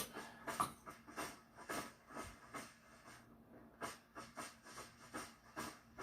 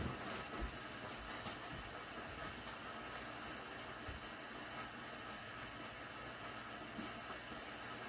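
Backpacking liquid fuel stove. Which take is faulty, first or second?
first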